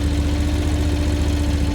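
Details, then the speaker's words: New 2025 MMS 380T mini skid steer, 730cc twin petrol engine rated 3600 rpm, started warm after running 5–10 minutes earlier: starts right up into an even, steady low idle with smooth drone, no knocks or misses; healthy. "So, I'm get on the back and start it up for you guys so you can see uh see how it sounds. So, it start right up."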